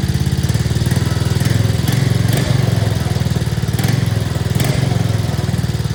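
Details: 2024 Arctic Cat ZR 200 snowmobile that intermittently died at idle, heard after the throttle cable was adjusted with more slack: steady, even putter at a settled idle with no hunting, surging or dying; normal idle, problem solved.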